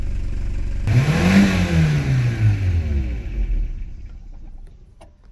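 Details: 1990 Toyota Pickup/Hilux 22RE after engine reassembly and a fix that got it starting right up, idle seems low; fires, revs up smoothly and falls back cleanly, no stumble or knock: normal running.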